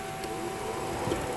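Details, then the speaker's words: PT Cruiser radiator cooling fan commanded on low speed via scan-tool actuation (fan relay test, overheating with AC on): thin steady whir, little air rush; fan motor barely turning, too weak to pull airflow through radiator. "y'all see that barely running that's not enough even if it was on full-blown low speed that's not enough to pull air flow through"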